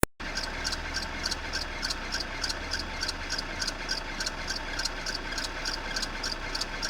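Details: Renault F4R petrol engine: crisp, light ticking about three times a second over a steady idle. The cause of the ticking at idle is not determined.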